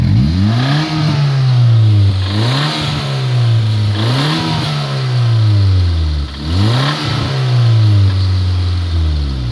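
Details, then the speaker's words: 2003 Honda Civic revved with no muffler, catalytic converter still fitted: rising and falling revs with a dull knock under the exhaust note; the engine is judged not long for this world. "honestly it's not too much louder i think you can hear the knock"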